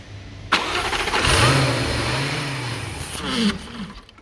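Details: 2015 Jaguar F-Type, 72k miles, after hydrolock repair with new starter, plugs and air filters: cranks briefly, catches and runs roughly about three seconds, then sags and dies; stalling with mass airflow sensor unplugged.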